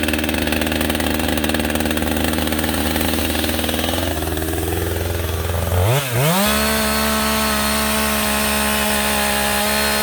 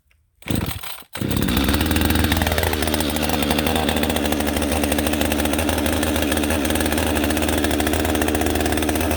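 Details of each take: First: Husqvarna 562XP AutoTune chainsaw restarted warm, choke off, at high idle, with the air filter severely restricted by duct tape to test AutoTune compensation: pitch holds, then sags and lurches around six seconds before settling lower. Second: Husqvarna 562XP AutoTune chainsaw with a clean air filter, started from choke then choke off, running normally: high buzzing revs bouncing off the rev limiter with slight rpm fluctuation after a rip cut let AutoTune adjust.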